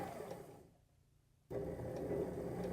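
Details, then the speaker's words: Sewing machine motor on a Sailrite Worker B 100-230V power pack, run from a modified sine wave inverter. A gravelly, uneven buzz at low speed stops briefly, then resumes; fine at high speed. An inverter frequency issue is suspected. "little bit of a grally noise at low speed but high speed we're not having those issues you could sew on this without a problem"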